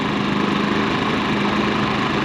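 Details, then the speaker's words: Generator, freshly cleaned and refueled after being accidentally run dry two nights earlier, took a moment to draw fuel: steady even drone with no misses, surges or knocks; normal running. "2 nights ago I accidentally ran it dry, so probably took a little minute to get gas in it, but it's running great now."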